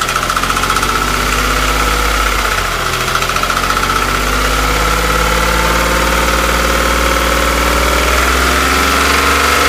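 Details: Porsche 997, warm engine held near 2000 rpm: a fast, uneven ticking chatter with a faint high whine on top; the owner is asking for ideas, and the cause of the abnormal noise is unclear.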